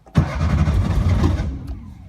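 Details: 1950s Porsche 356 Speedster: starter turns engine briskly about 1.5 seconds with no firing, then stops; cranks but won't start, accelerator being pumped, suspected no fuel getting through.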